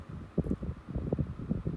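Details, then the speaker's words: 1990s Tefal 12-inch desk fan running at highest speed: steady hum with a few soft, uneven knocks from the motor, otherwise smooth; motor knock, cause not yet found. "I can hear that the motor's got a little bit of a knock in it, but apart from that, still sounds smooth as silk."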